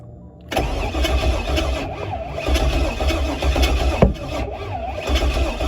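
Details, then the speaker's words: Pontiac G8 build on start take two with ignition primed on a constant 12-volt feed. Steady cranking with uneven puffs and a sharp pop, spitting backfire but never catching. This shows a good constant 12 volt. "go oh all right so let's let me know that's definitely letting me know we're getting something because that baby is spitting okay so that's a good constant 12 volt right there"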